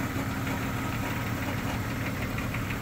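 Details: Old lifted Jeep Cherokee XJ after cold start on weak battery: loose, irregular tapping and clatter over a rough idle, roughly two a second, with exhaust vibration; long-standing engine noise whose source isn't figured out.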